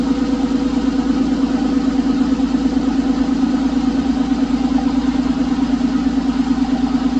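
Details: Porsche 911 996 C4S M96 flat-six, months after a ticking noise with no repair done, believed a sticky lifter: steady even idle with a smooth low hum and no ticking; normal idle.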